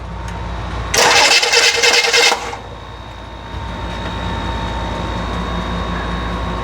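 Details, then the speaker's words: Rebuilt FC engine cranks steadily for about 1.5 seconds with no firing; the fuel pump isn't running. "Sure the fuel pump's on? I don't think the fuel pump's on for some reason."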